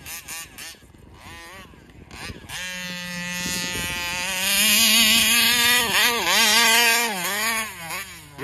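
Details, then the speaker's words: Taylor RC 35cc reed-valve two-stroke in the Punisher RC car, newly installed, tuning at fairgrounds: high buzzing note climbs, then wavers and drops repeatedly with throttle wide open; surging at full throttle, won't idle, owner suspects carburetor, unconfirmed. "see I'm not letting off the throttle there guys somebody else is having an issue with it too"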